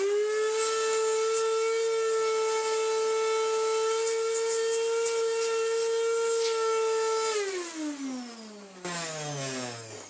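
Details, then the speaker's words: Restored Electrolux Z1910 self-propelled 1400 W vacuum cleaner running without its brush roll fitted: steady high whine then spins down, sounding off, with poor hose suction; owner hopes the missing brush roll explains it; abnormal motor sound. "Yeah, I think it's just because it needs a brush roll on it. I'm hoping so, anyway."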